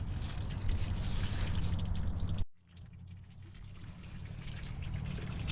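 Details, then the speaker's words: Seized engine in a tow truck being filled with Marvel Mystery Oil to free it, engine stopped: steady trickling and dripping as the poured oil runs out somewhere; oil leak, exact point unknown, owner wonders if the block is damaged. "All right, now it's leaking out somewhere. I can hear it. Oh yeah, it's really leaking out."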